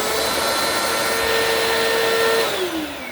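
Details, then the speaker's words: Bissell PowerForce Compact model 2112 vacuum, only 5.5 months old, tested after repair: steady, clean motor whine holding one pitch, then winding down smoothly at switch-off with no grinding or rattle; sounds like new. "sounds like brand new ladies and gentlemen there you have it"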